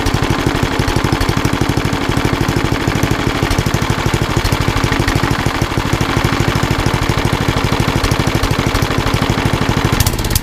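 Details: Old rusty Tecumseh 10 hp HM100 single-cylinder engine at idle after a genuine Tecumseh carburetor replaced a knock-off one (knock-off carb or its corrosion blamed), muffler refitted: crisp consistent putter, no misses or knocks; runs beautifully.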